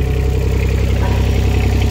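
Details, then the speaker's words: Yanmar YB121U mini excavator, water-cooled three-cylinder diesel, 2796 hours, just started; steady low diesel clatter at even idle with no misses or knocks, runs very smooth, normal idle. "и работает он очень ровно и очень четко"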